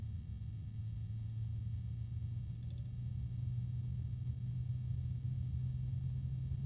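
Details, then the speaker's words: AMChoice RSL06-360-ARGB1 AIO liquid cooler fan at minimum speed: a low, grumpy droning hum with a harmonic resonance that swells slightly. "I've got it at the minimum speed and it's kind of grumpy sounding I don't know how else just to describe it but clearly at this speed it is not happy about having to work there's a harmonic resonance"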